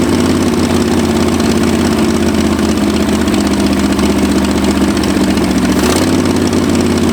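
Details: 1965 Ford F250 abandoned 26 years, after new spark plugs: a steady low idle with a lumpy beat and a small stumble near six seconds; still rough and slightly misfiring, with timing suspected next; cause not confirmed.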